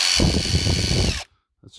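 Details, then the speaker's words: Hilti SID 4-A22 impact driver, previously losing power and noisy, after teardown and motor cleaning with contact cleaner: even clean whine and steady hammer rattle, no grinding, sounds much smoother; normal running. "sound a lot smoother one more test we'll know we're good"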